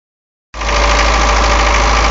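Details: 240D diesel with white smoke, about a minute and a half after the previous clip: a fast, steady idle with an even clatter that picked up and evened out well above normal idle. High idle, cause unknown.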